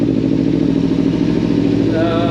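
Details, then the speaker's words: 2014 Kawasaki Ninja 300 parallel twin, sat about 8 months with a dead battery, fired instantly after priming the fuel pump: even, quick-firing idle with light mechanical patter and no misses; normal idle. "let's see if it cranks oh man look at that it fired up instantly"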